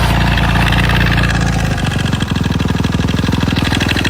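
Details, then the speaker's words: Suzuki RM-Z 250 motocross bike, strange engine noise while riding: fast regular ticking about three to four per second over idle; cam chain tensioner letting the chain slap. "n et là un bruit chelou au niveau de mon moteur"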